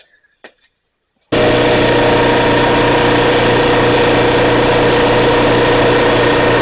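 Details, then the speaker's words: Air compressor after repair of a slipping drive part that had let it run without making air: quiet for a second, then the motor kicks on and runs steady and even, building air pressure normally. "And as you can see, it's working."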